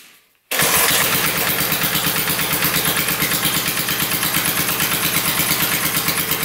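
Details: Barn-find minibike's small single-cylinder engine, sat 20-25 years, test run with air filter fitted after valve work (valves had been tight): steady thump about three beats a second, weak and flat; still lacking power, owner suspects scored cylinder wall and low compression.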